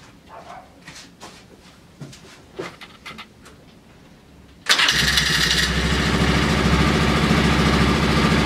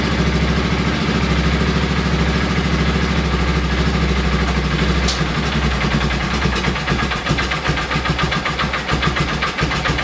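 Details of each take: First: Polaris Ranger 6x6 that sat two years, carb cleaned, old gas drained, running from a reserve fuel tank: a few quiet clicks, then it catches at once and settles into a steady, even idle with a crisp exhaust beat. Healthy start. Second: Polaris Ranger 6x6 engine, sat two years, carburettor cleaned, old gas drained, running on fresh fuel from a reserve tank, choke being closed: catches and runs with wandering, sagging beat wanting to stall; carburettor needs adjustment.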